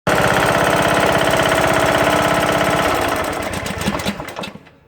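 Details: Craftsman LT2000 mower with a Briggs & Stratton single-cylinder engine, after replacing the broken camshaft and timing gear: runs with a hard, rapid loud knock, then shuts down. Cause still unknown.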